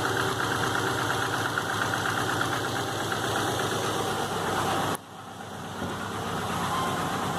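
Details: 2005 Subaru Legacy GT turbo flat-four, rebuilt after spinning two rod bearings: refurbished block, new crank, bearings and oil pump, used rods, pistons, heads and VF40 turbo, new NGK iridium plugs. Warm idle with oil pressure of 22 psi; it still has a steady knock of about three beats a second, cause unknown.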